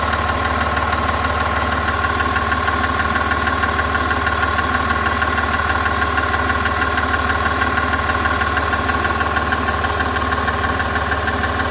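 Steady diesel idle with a light, even tick riding on top at about three per second, cause not pinned down.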